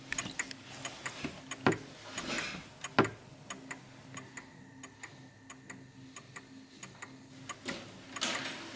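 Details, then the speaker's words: 1950s Smiths Enfield striking mechanical mantel clock on an uneven surface, out of beat: irregular tick-tock gaps, tick sounds off and the clock soon stops; fixed by adjusting the L-shaped center-of-gravity section slightly left. "you start ticking it and you can hear whatever surface you've got it's uneven so you can hear that the tick is a bit off so let me let you listen to it"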